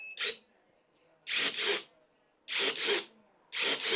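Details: Bayen cordless electric pruning shears, 1.5-inch (30 mm) capacity, 21 V battery: three quick paired whirring snips of the blade motor, crisp and even with quiet gaps; normal blade motor operation.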